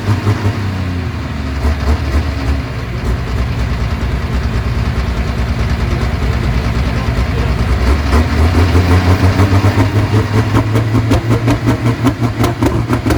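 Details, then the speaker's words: Super stock diesel pulling tractor with the injection pump stuck open, needing two bottles of ether at once: heavy low chuffing that surges unevenly without settling into a clean idle. Hard start. "all right what happened there there wasn't enough ether so it needed two bottles at the same time"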